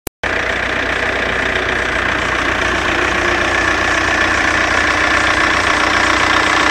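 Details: Seat Córdoba at steady idle: a thin, faint chirping whine over the engine, which the owner attributes to the alternator belt, cause unknown. Alternator belt noise.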